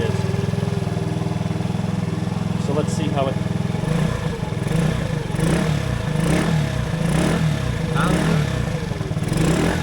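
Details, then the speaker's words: TaoTao 50cc GY6 Chinese scooter after installing a performance carburetor and new coil pack: even low putter at idle with a few light throttle blips; fires right up, starts better than before, sounds healthy. "I mean it sounds healthy [Music] it's idling I mean it seems like it started better than it did before it kind of just fired right up"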